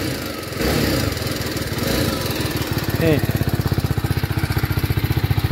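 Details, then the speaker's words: TVS Apache RR 310 single with the stock exhaust, just started: quick, even ticking about four per second over the exhaust beat, suspected valve clatter on a possibly unserviced bike; it later smooths out. "Ini kemungkinan enggak pernah dipakai atau diservis ya nih seram amat suara klepnya nih"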